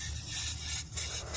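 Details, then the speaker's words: 2007 GM 3.8 engine, cooling system pressurized with a hand-pump tester at the radiator: sharp steady hiss of coolant spraying out, surging with each pump; coolant leak, exact source later located with a borescope. "leaking, and you can see something spraying out. You can see it build up the crap there."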